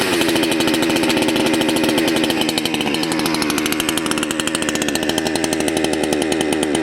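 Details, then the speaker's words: Salem Master chainsaw, low-speed (idle) jet deliberately turned way too low: high, rattly two-stroke firing about four beats a second, uneven, bucking and stalling out; idle mixture too lean. "okay you hear how there you go it's stalled out i adjusted that way too low and it stalled out it also started bucking a little bit"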